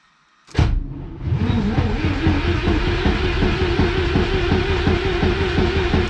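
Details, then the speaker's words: VW Golf 3 with a 1.8T swap, first crank with oil in, no coolant, fuel unplugged, on an old starter and a possibly weak battery: the starter engages and spins the engine with even compression pulses about five per second, a healthy crank. "now that starter i pulled off might i mean it's been sitting over there for a long time might not be the greatest starter but it is working and the car just turned over"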